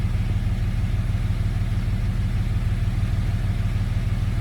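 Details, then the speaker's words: Jeep, first start after retrieving a bolt that held cylinder 3's intake valve open (zero compression): deep, even rumble about three pulses a second, no misses; idling smoothly at 750 rpm. "It's idling perfect right at 750 RPMs."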